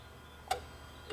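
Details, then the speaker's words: Dodge Sprinter limited to 40 mph with power loss and warning lights: the EGR valve, commanded on with its wiring confirmed good, gives two sharp clicks with a faint hum. It actuates but is suspected to be sticking. "oh it's clicking I don't like the way this valve is clicking so it could be sticking okay so the EGR valve wiring is good okay so the way this valve is making noise it sounds like it could be sticking"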